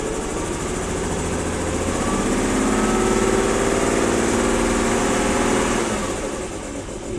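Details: 1994 BMW 325i inline-six at cold start around 45°F; uneven idle wavering about four beats a second, note dipping and swelling, worse in drive with rough acceleration at low speed; rough idle, vacuum lines, plugs and coil packs to be checked.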